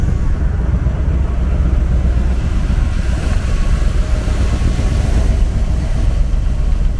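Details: 1977 C3 Corvette, original survivor car, first start of the year: low steady V8 engine and exhaust burble at idle with even pulses, no ticks, knocks or misses; healthy engine running smoothly.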